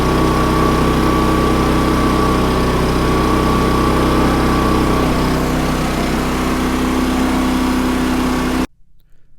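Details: Champion 3400 dual fuel generator, about two years old, that would not start on gasoline after sitting almost a year; after cleaning the carburetor bowl, a steady, even drone at constant pitch for about eight seconds before shutdown; normal running.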